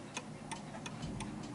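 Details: Vintage British Bentima/Perivale Art Deco 8-day Westminster mantel clock on a level surface, microphone brought close: crisp, evenly spaced ticks, about three per second, with no limp between tick and tock; clock in beat.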